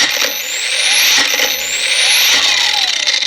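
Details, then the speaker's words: Knock-off Makita 18V brushless angle grinder on a nearly flat battery: the high whine climbs, cuts out and restarts about every second under load, likely because neither battery nor grinder shuts down on low charge. "so before before i was wrong that was all the inbuilt smarts of the makita battery itself saying hey i'm getting too low shutter down not spinning out"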